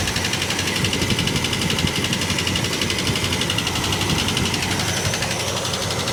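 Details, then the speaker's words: 1967 Plymouth Barracuda, long unused, possibly with old gas, missing badly: busy, uneven rapid ticking of about four a second over the idle, louder from one bank and being traced to a cylinder. Engine ticking, cause not found. "Sounds like a chaff cutter."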